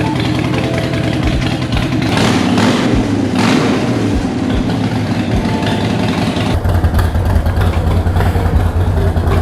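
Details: 2020 Harley-Davidson Roadster V-twin at idle after replacing missing front header exhaust flange nuts: lumpy deep solid exhaust note, no tinny rattle or puffing leak; exhaust leak fixed.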